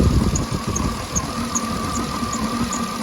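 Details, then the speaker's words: 2009 Cadillac Escalade V8 warm idle after oil pickup tube replacement, at temperature where it used to start ticking: steady even idle, light valvetrain tick only, no knock or rattle; oil pressure 39-40 psi, healthy. "right now where the temperature hand is at it would have been started ticking right now but yeah there's no oil leaks at all"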